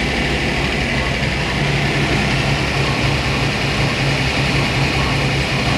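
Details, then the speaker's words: Boss 429-style Hemi-headed 429 stroker Windsor Ford V8 on dyno, 93 octane pump gas, initial run-in: deep even drone at steady speed, no knocks, ticks or rattles; no leaks, sounds healthy. "wow i don't know how well you can hear this but this sounds like music so"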